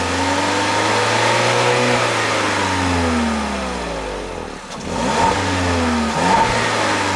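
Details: 2021 Peugeot 3008 1.6 THP Allure, 1.6 L EP6CDT turbo petrol (165 hp), 6-speed automatic: engine blips smoothly from idle, pitch rising and falling cleanly twice, settling to steady idle with no knocks or hesitation; healthy free revving.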